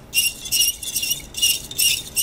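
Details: Sony VAIO PCG-71312L laptop cooling fan, removed from dust-clogged heatsink after constant overheating: high-pitched squealing chirps in uneven bursts about twice a second; dry, worn fan bearing.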